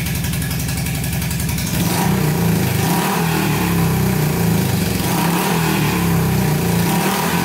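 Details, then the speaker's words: Honda CB350 (1970 or 1974) barn find, about 5,000 miles, sat for years, running on fuel poured in without a tank, something burning off: twin idles slightly unevenly then revs cleanly, both cylinders firing, no knocks. "we put more gas down it and uh both both are running great and now it rubs up and stuff"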